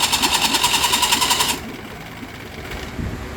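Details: Mariner outboard motor that dies when put in gear, cranked in neutral: starter cranks in an even whirring pulse, three or four beats a second, then cuts out without catching; hard starting.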